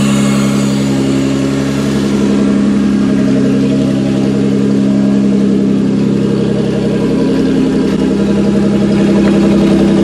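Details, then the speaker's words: 1992-1996 Toyota Camry V6 on a homemade standalone harness, terminals just tightened, air intake fitted, no key, in drive: steady even idle with smooth constant hum, no knocks or misses; normal healthy idle. "I'm pretty happy with that. That thing sounds really healthy. That thing sounds really healthy."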